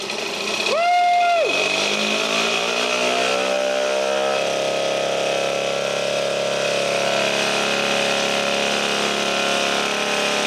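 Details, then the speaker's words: 1952 military DC generator, electric-started from about 12–13 V battery, output adjusted down from 30 V so the engine slows: steady buzzing drone dropping in pitch and settling lower, running evenly; normal running. "now when I turn it it's going to decrease and the engine's going to pick up speed or decrease not pickup speed is it'll slow down as we lower the voltage"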